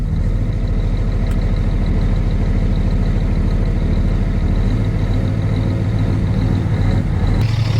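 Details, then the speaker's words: Peterbilt diesel truck just started after sitting three months, primed 2–3 times first: steady low idle at about two pulses a second, even loping rumble, no knocks or misses, healthy and "purring". "You hear that? That's beautiful. Oh yeah, she's purring. She wants to go."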